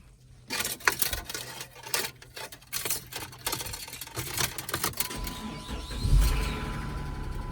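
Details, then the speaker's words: Vehicle at an insurance auction, about 140 on the clock, V6 (owner thinks 3.5): sharp, uneven ticking/knocking on first crank, then settles to a steady idle that sounds alright; cause unknown. "Oh, we had a bad tick. Oh, sorry. Don't sound bad, I guess. Just had that knocking noise when you first crank it up."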